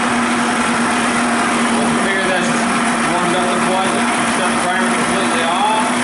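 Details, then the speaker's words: Evinrude/Johnson 25 two-stroke outboard after carburetor reassembly and reinstall, warming up on the primer: steady, even buzz with no stumbling or surging, better than before; smooth warm-up idle. "Better than what it did before. Let the engine warm just a little bit more yet."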